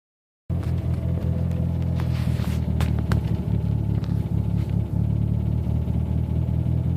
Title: Noise at idle inside car